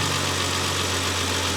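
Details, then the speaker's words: Renault 25 V6 Turbo after repairing the burning-ECU idle control: steady, even, smooth idle with no stumble. The idle control valve now audibly regulates idle, whereas before the engine stumbled when cold. "I think it is this is definitely a controlled idle I can hear it change it definitely could not stay at idle before without this valve being cut off and the hose uh clammed onto it"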